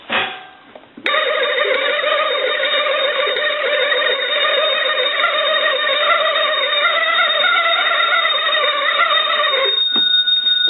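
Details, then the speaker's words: Western Electric wood wall crank telephone, converted with an internal bell and an outside crank: cranking gives a rapid, harsh ringing of about three strikes a second that holds steady; a bell ringer that was improperly converted and needs repair. "first of all I want to crank this telephone and ring the bells and I want you to listen to what we're gonna have to repair here"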